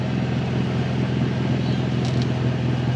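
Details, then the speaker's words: Nissan 350Z with broken Tomei exhaust, startup from under the car: deep idle rumble with a fast puffing, ticking chuff on every firing pulse; exhaust leak at the header flange, which is missing bolts. "It's obviously leaking underneath where that exhaust is completely toast. That sounds so fucked."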